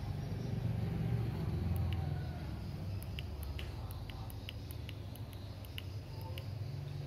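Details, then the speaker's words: Mini rechargeable fan motor after repair hums with a rough low buzz and light ticking because it was remounted roughly; also spinning backwards from reversed polarity, to be resoldered. "Jadi suaranya agak berisik karena kita memasangnya dengan cara yang sangat kasar tadi. Jadinya bunyinya agak berisik seperti itu."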